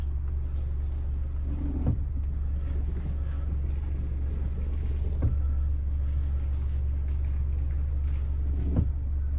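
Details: 2015 Mazda CX-5 on the road after replacing the front stabilizer links, which had been squeaking: only low road rumble and soft bumps over joints, with no squeak or creak from the front end; the suspension is now quiet.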